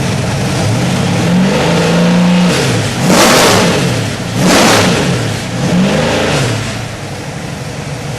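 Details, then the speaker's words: Ford 347 stroker V8 turnkey crate engine, final test run on the stand before delivery. Strong rumble climbing cleanly through repeated revs and settling back smoothly, with no knocks, ticks or misfires; normal start and revving. "Okay, here's our 347 stroker Ford. We're going to start it up."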